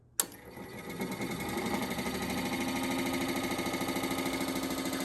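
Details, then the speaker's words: 42-year-old Suburban NT24M furnace blower motor, bench-powered by gator clips outside the case, previously hard to turn: spins up loud with rough buzzing rattle about three beats a second; owner suspects too much play, worn motor bushing. "it's alive. It's kind of loud though. I have a feeling this motor is I don't know what's going on with it. It's got too much in play or something weird going on."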